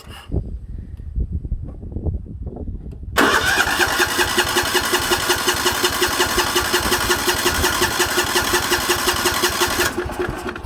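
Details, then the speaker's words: 1960s/70s Sears 10/6 lawn tractor, choke mistakenly left on: starter whirs, engine catches roughly and stumbles at a fast loping beat, running very rich. "It is running really rich because I forgot to turn the choke off. That's on me."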